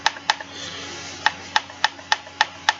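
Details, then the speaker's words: PSA GF4 AK: the railed dust cover is a little loose and wobbles, giving bursts of sharp metallic clicks, about eight light taps, as it shifts and knocks on its rail. "that's the dust cover. It's a little bit loose. It wobbles around a little bit."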